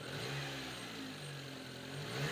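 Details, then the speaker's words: Subaru Sambar truck, warm, after carburetor adjustment for stalling on throttle: quick blips rev up and drop cleanly with no stumble or bog; earlier slight hesitation adjusted out. "no hesitation so with that said we're going for a test"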